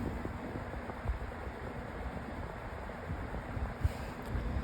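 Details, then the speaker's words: Lasko 20-inch Elite Collection Cyclone four-speed floor fan on speed one: steady low whooshing hum, already fairly loud, no knocks or wobble; normal low-speed running. "It is already quite loud on the speed one, but I'm assuming it has the thicker blade set than the thinner blade set."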